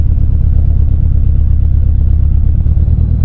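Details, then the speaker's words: 2016 BMW 428i xDrive, driven after a poor start with the engine light flashing on and off, gives a low uneven rumble with a stumbling, cutting beat; shaking and suspected misfire, better than before but still choppy. "That's shaking. I don't know if you guys can hear it or not, but it's like it's cutting. It's not like like it doesn't seem right."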